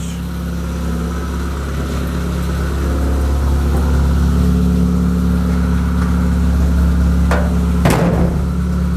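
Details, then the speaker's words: Rat rod truck started again after radiator repair, warming up: loud, steady, low exhaust drone with an even beat and no misses, but the idle speed is a little high; it starts easily and runs. "idle is a little bit high. Well then, she starts easy, she runs"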